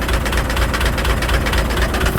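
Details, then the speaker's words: 12-valve diesel whose turbo failed, with oil in it, turbo not spinning: heavy idle with a deep, steady thump about four times a second, knocking as if a rod may come through the block. Engine knock at idle; cause suspected, not confirmed. "she is knocking so bad it sounds like a Rod's about to eject out the block bad"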